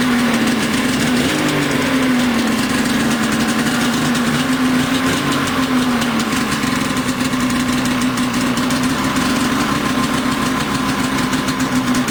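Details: Switchback snowmobile two-stroke at normal cold-start idle, 34° day in August: busy buzz holding a steady idle after the throttle drops back, even and unbroken, nothing knocking or stumbling.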